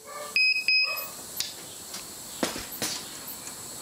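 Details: Edecoa 2500 W pure sine wave inverter on 12.4 V battery through undersized cable: two sharp high warning beeps then faint clicks; cause suspected, not confirmed.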